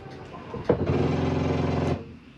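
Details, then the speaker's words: Catalina Legacy 263BHSCLE travel trailer slide-out retracting from the control panel: short buzzy motor whir about a second at end of travel, then clean stop, the safety mechanism, not grinding; normal slide-out end-of-travel noise. "That's the slide keeping itself from extending too far. Safety mechanism on the slide, so don't worry about that noise. Nothing is grinding as it sounds."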